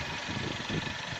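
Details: Toyota Carina E engine idling softly with a gentle hiss and no rattle or knock, after the engine was pulled again and the crankshaft replaced because the connecting rods were slightly loose on the crank journals; ignition timing still to be adjusted slightly.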